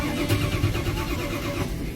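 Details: Ford truck: starter churns the engine over in a steady rhythmic chug, but it never catches and runs; cranks without starting.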